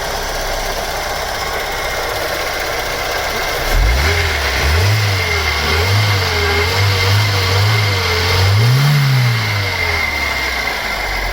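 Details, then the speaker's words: Opel Omega A GLS 2.4i CIH petrol estate, parked in a barn since 2003, first start on fresh petrol: smooth idle and even revving, no tappet or top-end noise; engine running well. "Good old Vauxhall Opel technology. There's not a tappet or anything noisy on that. That's running mint."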